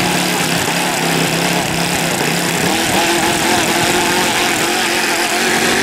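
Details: OS Max FS120 four-stroke model engine, which earlier had no compression from a blocked exhaust valve, running with its propeller. Steady buzzy drone at constant speed with no misses or stumbles; running clean and even.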